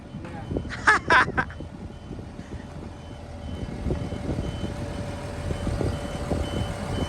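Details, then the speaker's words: Truck being moved with alarms going off: faint, evenly spaced high beeps about twice a second over engine rumble and street noise, a normal reversing alarm. "I'm a man out here got his truck moving all the alarms going off"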